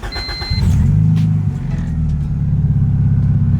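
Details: Honda/Acura after installing Rayspec dual main relay with kill switch, fuel pump priming: short crank then catches cleanly into a smooth steady idle; normal engine start.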